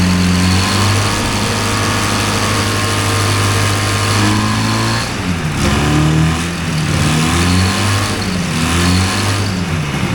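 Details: Two-cylinder hovercraft engine after pull starter refitted and spark confirmed on both cylinders: catches and holds a steady, fairly high-pitched run, revs wandering slightly; fast idle.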